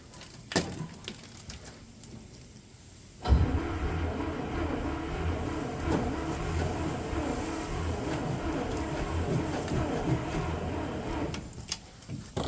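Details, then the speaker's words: 1965 International Scout, off the road since 1979; sticky key, positive cable getting warm. Quiet, uneven starter churning for about eight seconds with no catch; cranks but never fires. Cause suspected, not confirmed. "key is a little sticky that's a morgage in there it's a little slow but so am I"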